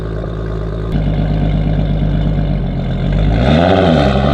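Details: Audi RS3 with stock 3.2 VR6 and 79 mm turbo, low boost, base tune smoothed, camera in the back on a night road run: loud, steady exhaust burble climbs cleanly into a rev and drops back, no misfire or knock; healthy.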